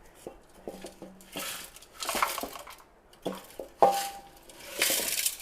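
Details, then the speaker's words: Rear muffler removed from a 1999 Honda Civic DX hatchback, which had been getting louder than normal, being shaken: irregular metallic clinks and rattles as loose broken baffle pieces tumble inside. It is rotted from the inside out and at the welded seam of the cheap muffler. "There's nothing left of the muffler inside. That's why I was changing it."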